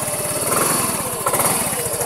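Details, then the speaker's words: Miio 125 scooter that had stalled on the road and would not start, now idling after a part at the spark plug was replaced; quick, even exhaust pulses at a steady idle with no misses, problem solved. "Oh ayos na wala ng problem solve ang problema"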